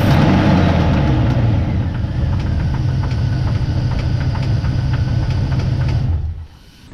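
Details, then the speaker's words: Steady, sharp knock at about three to four per second over rough running, loudest in the bottom end by mechanic's stethoscope, then the engine shuts off. The owner suspects a rod bearing; not confirmed. "i'm gonna do a little poking around with a stethoscope again uh just to see if i can hopefully find it something else but i've got a real suspicion that it's a rod bearing"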